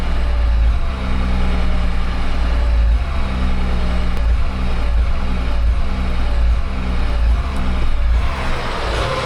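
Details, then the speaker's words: 2008 Land Rover Discovery 3 TDV6 under rebuild: at a steady 1100–1200 rpm on light throttle the engine note rises and falls every couple of seconds, a hunting surge. "It's always when it drops below 1200 RPM and when I hold it at 1200 or at 1100 it does that."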